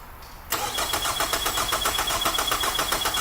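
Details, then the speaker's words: 2003 Nissan Altima, battery on charger after being dead, cranking during a ground-side volt drop test, meter from battery negative to starter casing; brisk even cranking about four compressions a second, no clicks or grinding; 311 mV, fine. "And then do the casing on the starter as well. Go ahead, Rob."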